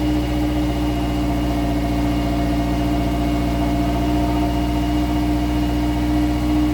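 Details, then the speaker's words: 2016 Subaru Outback four-cylinder, about 80,000 miles, warmed up at low idle in gear, phone under the car: steady hum with a buzzy metallic rattle, rear driver side; likely a failed spot weld on a baffle inside the muffler. "the noise is coming from the muffler from inside so apparently I found out that There's issues with that because between the process of heating and cooling a spot weld within or on a baffle inside the muffler could fail causing this vibration"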